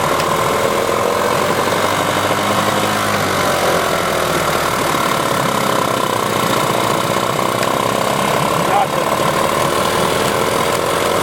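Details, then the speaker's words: 1994 Johnson/Evinrude 15 hp two-stroke outboard with impact damage, dual coil setup, before carb cleaning: ragged, uneven idle as if running on one cylinder; owner suspects a gummed-up carburetor or ignition issue. Rough idle. "doesn't idle well at all. So she's rough, so I'll clean her up a little bit. And it sure sounds like it's running on one cylinder, but it could just be the carburetor's all gummed up too, and it's halfway delivering fuel the way it's supposed to."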